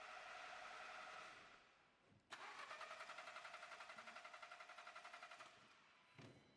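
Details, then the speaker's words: VW Golf Mk7 with the ignition on: the starter cranks the engine at an even, steady rate of about four turns a second, but it never fires. Crank, no start, with no ignition spark. "So the issue we're dealing with, we turn the ignition on, we want to get it started, it cranks over, but it just absolutely refuses to fire up and"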